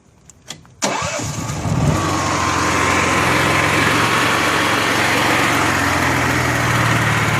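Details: Honda EXW171S gas welder/generator after fuel system restoration (fuel filter). Short cranking, a clean catch, then an even steady run without misses; a healthy start.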